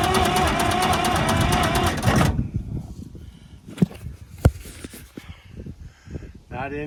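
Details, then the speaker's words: Massey Ferguson 200 crawler loader, three-cylinder Perkins diesel, new battery, cranked at starter solenoid with ether; about two seconds of steady cranking near three turns a second, no firing at all: cranks but will not start. "not any sound at all with ether so I'm going to be thinking about this one for a while"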